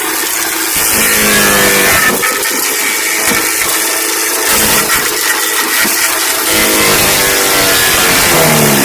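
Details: 5 hp MTD wood chipper shredder after flail arm maintenance to fix a banging rotor: the small engine runs steady with an even shredder whirr and no banging or knocking; sounds healthy.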